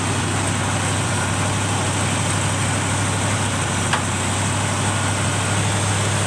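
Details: 1971 Chevrolet C20 with a swapped-in 454 big block, just started: deep, unsteady, hunting idle with one sharp click. The owner says a vacuum leak at the carburetor base is the cause and plans a match test to confirm it.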